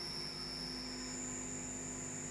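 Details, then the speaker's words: CNC machining a prototype belt part in a vise, second pass: loud piercing squeal jumping higher over spindle hum; harsh chatter, cause unclear. "It's probably a little bit oversized. Nope. Second pass still sounds awful."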